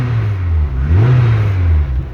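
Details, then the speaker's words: MK2 VW GTI with continuous (CIS) fuel injection, on stands with no rear wheels, just started with battery reinstalled: steady running then a smooth rev up and back down, clean and even with no misses or knocks. "so she starts oh my gosh she sounds good"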